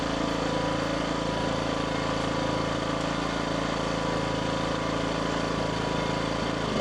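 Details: Cummins suitcase generator just broken in, fresh 5W30 full synthetic oil, running in eco mode: smooth, even low drone at constant speed with no surging, knocking or misfires; healthy.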